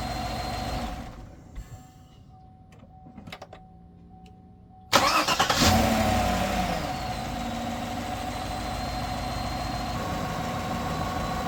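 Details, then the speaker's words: Truck after swapping a weak lead-acid battery for a solid-state one; cranking voltage drops only to 12.28 V (old battery fell to about 10 V): brisk, fast crank catches almost instantly and settles to a smooth idle; healthy. "I don't know if you can tell how fast this thing cranked, but it cranked like crazy."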